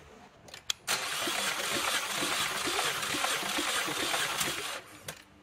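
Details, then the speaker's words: 2014 Chevrolet Cruze 1.4L turbo, spark plugs out for a compression test after fluid was seen in a cylinder: even starter cranking with equal compression strokes; cylinder two reads just under 210 psi, healthy. "yep so cylinder two we're at this essentially the same compression of a uh just under 210 so I think everything seems to be pretty good"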